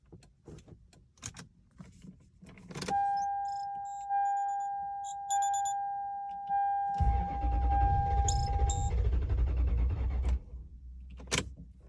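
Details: 1992 Lexus LS400 barn find, sitting since 2010 (about 12 years): steady warning chime, then starter spins the engine evenly for about three seconds without catching; cranks but no start, same when given gas; cause unknown.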